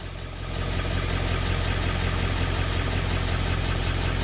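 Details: OBS Ford 7.3L Powerstroke just after electric fuel pump conversion, started on first crank, fuel pressure building: deep even diesel rumble settles right after startup, no knocks or misses; steady clean idle.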